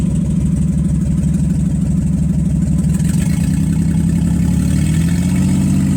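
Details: Nissan Z31 on first start attempt after rebuilding all injectors and fuel rail parts: rough, uneven V6 idle stumbling with a misfire that persists; several exhaust leaks also present.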